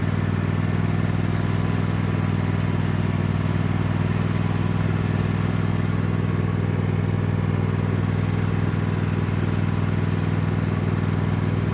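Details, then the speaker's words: Cub Cadet lawn tractor, badly neglected, just started after fitting an aftermarket knockoff carburetor with a little choke; strong, even low drone, steady beat, no surging, popping or stumbling. Sounds much better than the old carburetor, normal running. "Well, it don't sound too bad. It sounds much better than the old carburetor."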